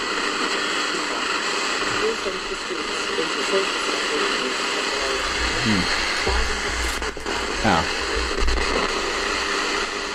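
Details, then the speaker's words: Crown TRF-2200A Japanese radio with air band, near 103 MHz (probably Classic FM): constant loud hiss and crackle with the station faint underneath; the aerial is intermittent and is to be replaced. "i think that was classic fm although you can really hear it much through noise the aerial seems to be quite intermittent"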